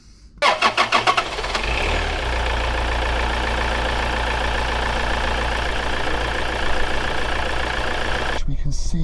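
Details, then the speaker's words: Toyota RAV4 D4D diesel, warm engine on a warm day, before MAF cleaning: starts and idles evenly at about 900 rpm, slightly higher than expected. Intermittent check-engine light; MAF sensor suspected, not confirmed. "it's running at about 900 rpm just under a thousand okay that is not a cold engine start the engine has been running for a bit it's a nice warm day it's running a tiny bit higher than i would have thought"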